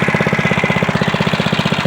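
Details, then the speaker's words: SSR motorcycle, first start after a carburetor rebuild (float cleaned, new air filter), cold on choke. It starts into a fast, even single-cylinder putter with steady firing and no misses. "cold start two PS baby running nice and clean oh yeah"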